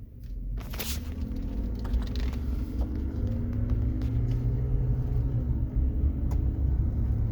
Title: whining noise coming from under carriage of a 2016 Chevy Silverado.